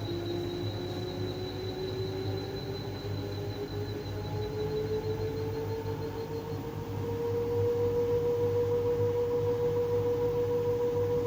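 Thin squeal slowly climbing in pitch, then holding steady over a low hum while the tub turns; source of squeak unknown.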